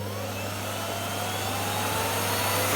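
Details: Miele Revolution 700 vacuum running on carpet: a steady motor drone with a thin high whine creeping upward in pitch; the owner suspects worn motor bearings that may be getting worse, unconfirmed.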